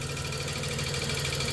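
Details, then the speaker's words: 1991 Dodge Grand Caravan 3.3 V6 restarted after 21+ years: steady idle with a light, fast rasping scrape; top end sounds fine, owner suspects the flywheel rubbing the oil pan, unconfirmed. "Top end sounds happy. I still think it's the fly um the flywheel rubbing the uh oil pan."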